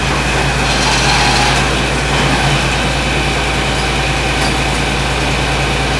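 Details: John Deere 4230 diesel tractor after a cold start, following frame bolt repair: loud, steady diesel clatter with an even low rumble, no odd knocks; running smoothly.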